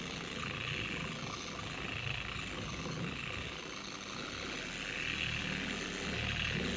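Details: 4-year-old Carbon Collective DA random orbital polisher before repair; a buzzing, wobbling whir with a shrill scream that grows harsher at higher speeds, heavy vibration and pad walking. The gear head is to be regreased with red lithium grease.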